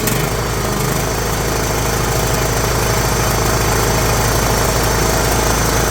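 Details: John Deere GT262 garden tractor sitting many years, battery freshly charged, starter needing tapping: steady, even idle with smooth regular beat, no knocks or misses; old engine runs healthy.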